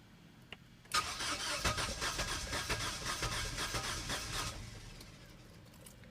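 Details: 2007 Suzuki Forenza that overheated and cut off, upper radiator hose then replaced and coolant refilled: starter cranks steadily about three turns a second for several seconds but engine never catches; cause unknown.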